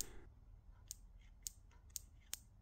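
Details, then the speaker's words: RCEXL CDI ignition unit on the bench with a loose sensor and ignition tester: six crisp spark snaps, one each time a magnet passes the sensor. The CDI is firing properly. "obviously every time it passes you should get a spark you may hear it more clearly than you can see"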